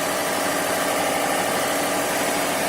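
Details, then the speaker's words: 2005 Subaru WRX wagon, 179,010 miles, after replacing both valve cover gaskets and spark plugs: even steady hiss-and-hum at idle, no knocks or misses; idling smoothly and healthy. "Hopefully no leaks. Idling alright."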